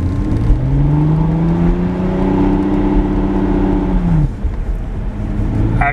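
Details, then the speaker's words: Lexus IS300 at 50 mph, floored: engine note climbs fast and keeps rising while road sound doesn't pick up; slipping clutch, worse at higher rpm. "I'm not doing a bird on right now I'm going 50 miles an hour flooring it at 50 R and it slips so very easy to tell"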